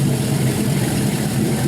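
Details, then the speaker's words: Fully warmed LY6 6.0L Gen 4 LS shortblock with 5.3L 706 heads and an upgraded cam (220/224, .575 lift, 112 LSA) on a run stand: 40–42 psi oil pressure, 14.2 V charging. Steady, even V8 idle with no knocks or misses. Normal idle. "everything seems to be working great on this hybrid motor so we're gonna shut this off"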